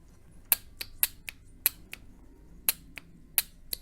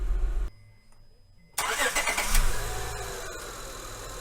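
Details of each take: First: Honda/Acura transmission linear solenoid (codes P0747 etc.), tested on the bench with a 12 V battery after cleaning: crisp distinct clicks several per second as it switches on and off; solenoid moves and works properly. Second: 2003 Honda Accord V6 (J-series) with code P0747, engine idling: dull low thump and sharp knock, a shuddering hard jolt from park into reverse and again drive to reverse. Dirty linear solenoid suspected; filter change, ground wire and solenoid cleaning planned.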